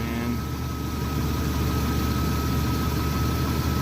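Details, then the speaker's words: Jeep Comanche (MJ) during alternator test, idling with high beams and blower on: low, steady idle sounding a bit loaded down, faint steady whine; alternator tested fine, battery low from not being driven. "Idle engine. Man, with the high beams and the blower motor on, you can tell it's like loaded down, man."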